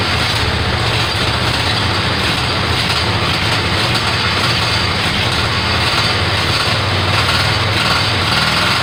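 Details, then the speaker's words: Kohler Command 18 hp twin after rebuild and carburetor work, first start: steady, even drone with a constant low beat, no misses or knocks; running smoothly. "oh there we have it it runs"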